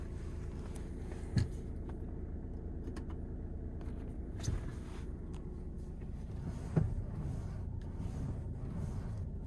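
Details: 2020 VW Tiguan Mk2 with sharp, irregular pops over a low engine hum from a faulty power steering unit, which the dealer replaced under warranty.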